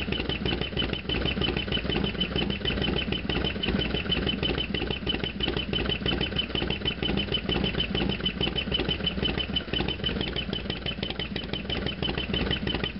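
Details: Harley FXDX V-twin, cold start then half-mile ride: rapid, fairly uneven clatter about three beats a second over a lumpy idle; loud mechanical noise at idle, cause unclear.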